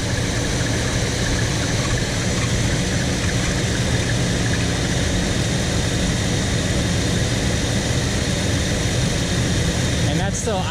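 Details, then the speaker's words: 1975 Chevy C10 V8, factory Quadrajet, warm: high idle near 1600 rpm persists with idle screw backed off and PCV plugged; secondary throttle blades not closing after carb rebuild. "idling pretty high so now to rule out it's a giant PCB Lake uh I just got plugged the PCV hose both sides so let's give a go"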